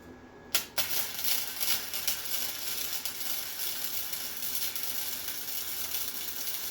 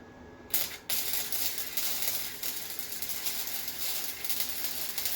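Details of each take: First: Harbor Freight Titanium Flux 125 flux-core welder, new, bead on back side after turning heat down and wire feed up slightly: steady crisp bacon-frying crackle, no popping or sputtering; welds fine. Normal. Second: Harbor Freight Titanium Flux 125 flux-core welder, new, first bead on scrap with wire feed turned down slightly: loud, harsh, steady crackle and hiss; heat running a little high, blew through the metal.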